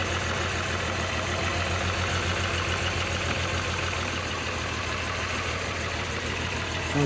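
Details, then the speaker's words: VR6 12v first start after oil cooler, crack pipe, thermostat, radiator and intake gasket maintenance: lumpy, uneven idle with a stumbling firing beat from misfire. Coil pack wires for cylinders 1, 3 and 5 were in the wrong positions; once fixed, it idled fine. "like it's misfiring. Nothing dripping."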